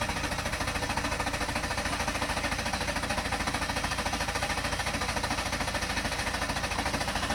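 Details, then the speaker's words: 2000-2007 Ford Taurus/Mercury Sable at about 192,000 miles, a fuse pulled before fuel filter replacement: steady rhythmic starter cranking, about two beats a second, with no catch or firing as the fuel line is drained; crank no start, no fuel. "and then you drain your system by trying to start the engine. Okay, so you just let the fuel run out. It's not gonna hurt nothing."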